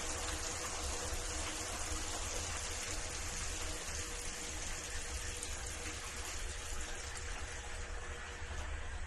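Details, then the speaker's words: Deep-well pump powered through Solis S6 11.4 kW hybrid inverter in bypass mode: steady even rush of running water with constant low hum, no knocks or surging; normal running. "Bypass. That's what it's supposed to sound like."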